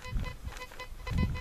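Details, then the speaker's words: Pirate Black Devil metal detector, dual frequency 14 and 7 kHz, discrimination at 0, over a 2-euro coin at about 50 cm: short, clear buzzy tone pulses over low handling rumble. A clean target signal. "Μπορούμε να πούμε ότι στα 50 πόντους έχει καταρός ήχος. Τα 2 ευρώ."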